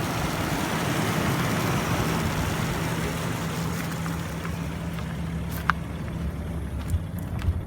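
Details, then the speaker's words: 1991 Ford EB Falcon GL 3.9L SOHC inline six swapped to an XF carburetor, idling cold: a low drone with occasional uneven stumbles. The PCV valve and fuel pump clicking are also audible. "but look how nice it's running oh other than that view fumbles but it runs good where she warms up the stumbles of on"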